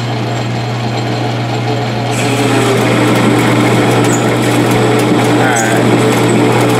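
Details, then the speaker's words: Metal lathe turning 1018 steel at about 400 rpm on the middle pulley step, taking 0.150 in off the diameter during a tool holder and insert comparison. The motor hum drops and strains under gritty cutting noise as the lathe bogs under the heavy cut. "right you can hear it bogging bogging down but it's doing it"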